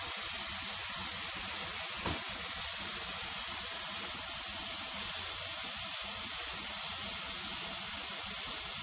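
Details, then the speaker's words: Pressure canner processing tomatoes, at the end of the 10-minute venting before the weight goes on: continuous even hiss of steam from the vent with no sputter or pulsing, normal purge with excess air now out. "my timer has gone off for the 10 minutes uh for this to be renting so now they all the excess air has come out"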